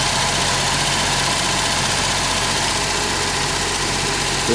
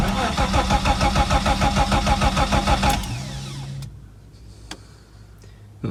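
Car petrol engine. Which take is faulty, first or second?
second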